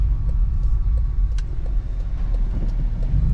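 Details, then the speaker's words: Lexus GX470 with new Dobinsons rear springs and ADS shocks, driving over rough bumpy road: heavy road rumble with sharp, irregular front-end clunks. Owner suspects a rag joint in the steering column or at the rack and pinion. "if you guys hear that clunking noise I want to say that that's like the rack joint on the steering column"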